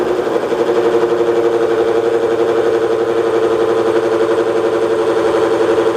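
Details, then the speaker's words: Bridgeport mill with a dull shell mill taking a 10 cut on aluminium marine clips: steady mid-pitch drone with slight pulsing as the motor strains, close to bogging; switching to low gear with higher motor speed, and the cutter needs sharpening. "I can hear it's getting ready to bog down that motor, so we're gonna put it in low gear and run our motor at a little bit higher speed."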